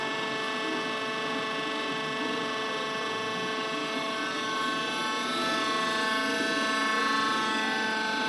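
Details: Worm screen centrifuge test run after repair for bad vibration: the worn main drive bearing diameter was machined and sleeved, and the main drive and gearbox bearings replaced. Even, steady whirr with no knocking, grinding or wobble; normal running.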